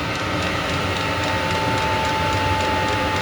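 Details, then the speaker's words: 8 kW Chinese diesel air heater set to 15 °C, room reading 16 °C: steady blower roar with faint whistle and soft pump ticking, slowing way down as thermostat throttles it; normal, no errors. "i have set on 15 degrees centigrade you can hear it slowing way down"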